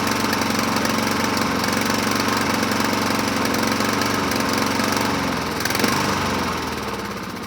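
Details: 2007 Honda HRR2162SDA Quadra Cut mower after fixing stuck-open intake valve, started on choke: speed swells and sags instead of holding steady; surging, owner may clean carburetor again after water found in fuel tank.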